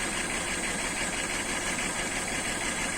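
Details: BMW E39 with M52 petrol engine idling with a slightly uneven, pulsing beat, about three lumps a second, from periodic ignition failures; causes considered include DME/ECU contacts, spark plugs, plug wires and ignition coil.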